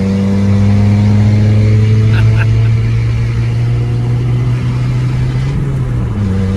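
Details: Fiat 500 with a blown exhaust awaiting replacement: a loud, deep burble at idle swells on revs with a raw, unmuffled edge; an exhaust leak.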